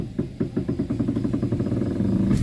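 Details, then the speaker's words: Front wheel of an Avanza/Xenia-type car, heard while steering: a crisp tick-tick about five times a second as the wheel turns. "Nih itu bunyinya ya, Teman-teman. Bunyinya tek tek."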